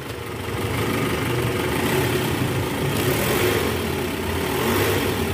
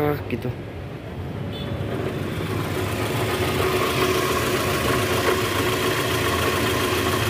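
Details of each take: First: 2010 Toyota Vellfire, 2AZ-FE 2.4L, after balancer shaft replacement, in reverse: smooth, even idle with no knocking or rattle; normal idle in reverse. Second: 2010 Toyota Vellfire, 2AZ-FE 2400cc, about 100,000 km, cold morning start idling in reverse with brake held, heard low on engine: rough uneven knocking; balancer shaft gear likely worn or broken.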